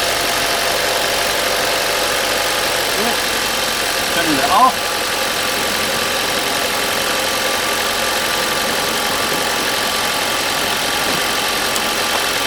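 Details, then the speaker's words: RV engine after a dead battery on a frosty winter morning (down to 21°F overnight), started with a NOCO GB70 jump starter in normal mode, no booster needed: catches and settles into an even, steady idle with no misses or knocks. "we didn't have to just just the normal jump start worked for us"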